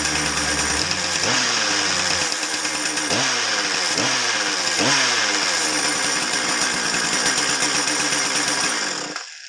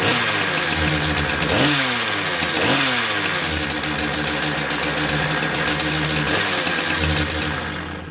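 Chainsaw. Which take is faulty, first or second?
first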